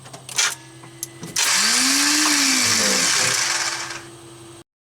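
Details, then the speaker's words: TDI-swapped Jeep Wrangler cranking with injection pump lines loose: high whirring spin rising and falling with no cranking beat; brand-new starter freewheels without engaging, its supply wire long and poorly routed. "my starter down there that's brand new is spinning but not engaging anything"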